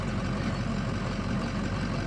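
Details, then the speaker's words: Ford 6.0 Powerstroke diesel truck running on used 90-weight engine oil as fuel, idling after the drive to work: smooth low even idle with no sharp injector clatter, injectors unusually quiet; normal idle. "can't hear the injectors right now they're so quiet this truck's sitting here is so quiet amazing"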